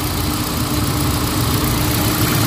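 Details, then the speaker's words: Hyundai Accent gasoline after fixing the cylinder 1 no-spark misfire (codes P0300, P0301, P0302) and tightening the spark plug, warming up: a steady, smooth even idle with no vibration or stumble and the check engine light cleared. "Wala na siya vibrate. So okay na."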